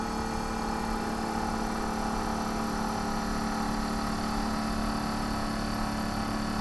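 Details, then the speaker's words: 1932 Studebaker air conditioner blower fan switched on with the engine off, running from the battery. A steady, even whoosh of air with constant fan hum: normal blower operation. "But see, I can turn this on here, and I can turn it on here on the switch, and that's the fan."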